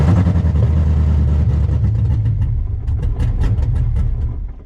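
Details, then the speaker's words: Project Corvette engine whose tune was set for ID2000 injectors but now runs LS3 injectors: lumpy, uneven running that sags and dies within about five seconds; won't hold idle with injectors mismatched to the tune. "obviously it had ID 2000s in it, I think, when I sold it, and now they got the LS3 injector, so it does not want to run, it doesn't want to idle."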